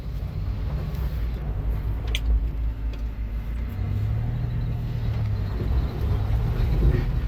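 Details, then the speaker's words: 1981 Volvo 245 reversing under light load with a low, even engine rumble and no knocks or misses; normal engine running. "Okay, and just to prove that it actually runs and drives, I don't think I've yet to show a video of it actually moving."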